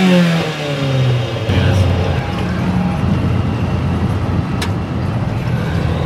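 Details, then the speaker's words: 1976 Chevy LUV 4x4, long-parked four-cylinder with very low compression and points ignition, driving under load: uneven, lumpy exhaust beat, rough running; ignition system to be fixed, cause unconfirmed. "It just runs like crap. Oh, oh, God. It is a piece of shit. So we're going to fix the ignition system as well."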